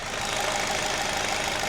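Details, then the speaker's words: 2007 Chevy Cobalt engine running on 10 lb of melted candle wax instead of oil, restarted after sitting about 20 minutes: faint, quick, regular light top-end ticking rattle over steady idle, possibly chain noise; cause uncertain. "so let's just fire it up again and see if it sounds still healthy and good and quiet or if it's solidified a little bit, then we're going to have some knocking issues. Just for the heck of it. Maybe a little bit of chain noise right now."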